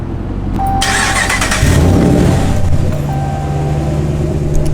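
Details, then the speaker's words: 2006 Chevrolet Silverado SS clone V8: starter whirs, engine catches and settles into a steady, even rumble with smooth lope, no knocks or misses; normal start and rev. "sounds good sounds good"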